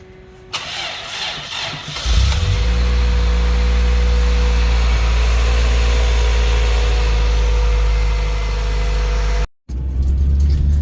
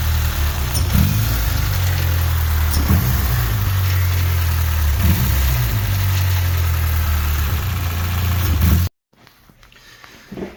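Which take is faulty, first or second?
second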